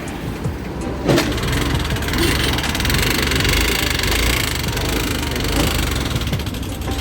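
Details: Honda Activa 6G (BS6) scooter at 24,000 km, run without engine oil, kick-started since the self-starter doesn't work: rough, uneven running with harsh clattering over a low note; engine noise damaged by oil starvation.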